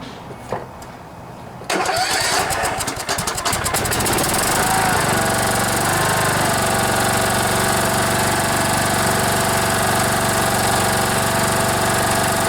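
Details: Troy-Bilt Bronco riding mower, Kohler Courage 18 single-cylinder, after carburetor rebuild for gas leak and gas in oil: cranks briefly, catches cleanly and settles into a smooth even beat about four pulses a second, no misses or knocks, no fuel leaking.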